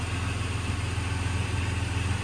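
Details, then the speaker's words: 2000 Jeep Cherokee XJ Classic 4x4, brand new inline-six engine, cold start, heard under the open hood: smooth low even idle with no knocks or ticks; no smoke, no oil burning, no leaks; normal idle. "This is a cold start, by the way. No smoke, doesn't burn oil, anything like that. There's no leaks on this vehicle either. Obviously, it's got a brand new engine in it, so. There's your inline six."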